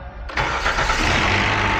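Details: Vehicle with intermittent no-start despite new battery and alternator, after a loose battery connection was found: brief crank, then catches right away and settles into a steady even idle; clean healthy start.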